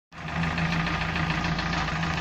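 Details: UAZ with a 417 engine: starts and runs with a constant hard knock under the idle drone, still present after new camshaft gears, camshaft and camshaft bushings; cause unidentified, though the vehicle still drives.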